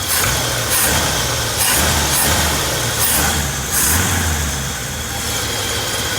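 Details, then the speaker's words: 1965 Chevy C10 V8 started after sitting in barns for many years: steady low rumble with slight rise and fall, pulling strong and even; a strong idle. "Well, it was idling. I thought it was idling. Like, that's a strong idle."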